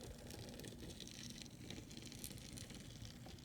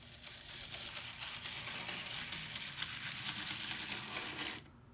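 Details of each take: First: Bachmann 0-6-0 model locomotive on track with main rods hanging loose, cylinders and valve gear removed during LED lighting install: soft, even gear whirr with light rattle, holding steady at low speed without stalling; runs well. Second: Older three-gear Bachmann 0-6-0 model locomotive running: harsh, gritty grinding and rattling throughout, stopping when it shuts off; broken gears binding, cannot run slower.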